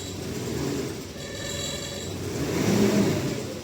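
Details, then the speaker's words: Mitsubishi Pajero Sport with jerking while driving, RPM fluctuation and check engine light lit: revs rise and sag unevenly under throttle and won't climb properly. DTC P0341, camshaft position sensor circuit range/performance, was later found. Cause suspected, not confirmed. "ये देखो accelerator देने के बाद accelerator नहीं बढ़ पा रहा है। जैसा बढ़ना चाहिए उस तरीके से एक्सलरेटर नहीं आ रहा है और चेक लाइट लगी हुई"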